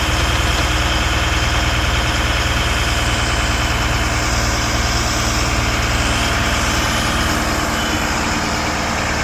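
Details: Abandoned Stewart & Stevenson M1078 LMTV military truck, running on old JP-8 fuel, first start after fuel was supplied; big diesel idles with a lumpy, uneven beat around three pulses a second, loping and unsteady: rough idle.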